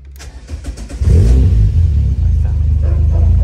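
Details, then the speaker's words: Renault Clio RSi: intermittent contact in the white/orange wire from the ignition barrel was found and bridged; cranks a few beats, fires in about a second, revs up and settles steadily; normal start. "desarme todo encontré el cable blanco Acá de ahí lo puente y arrancó"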